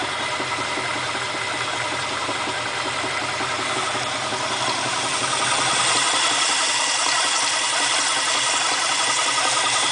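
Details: 351 Windsor V8 in an XF Fairmont, just installed after sitting 7 years, idles with a steady knock near three beats a second; plenty of oil pressure, no power loss, cause unknown: engine knock at idle.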